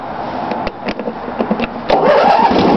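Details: Snapper LT16 lawn tractor, real cold start after sitting all night, muffler cold, no battery charger, with choke and some throttle: a few uneven cranking pops, catches at about two seconds and settles into a steady run; starts cold fine.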